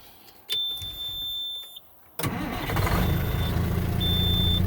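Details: 2000 Peterbilt Caterpillar 3406E diesel, after replacing a failed starter relay that caused no-crank/no-start once pressure washed: short chime, brief crank, fires right up to a steady low rumble; starts cleanly.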